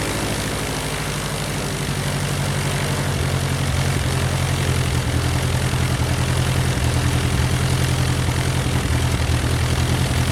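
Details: Titan IO-340 180 hp in RANS S21, first engine start, third attempt, throttle about half: deep even propeller drone settling into steady idle, no misses or knocks; healthy start after idle setting was sorted out.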